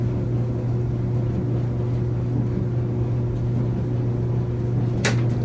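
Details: Samsung dryer during heating-element testing: steady low motor hum with the drum turning evenly, no squeal, thump or scrape. Runs normally.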